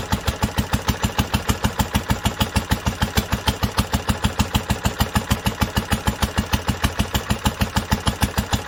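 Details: 1946 International Harvester LBB 3-5 hp water-cooled single-cylinder engine idling at first cold start after sitting covered a long time, started on the next pull after two choked turns; slow, very even chuffing about two firing pulses a second, steady and healthy.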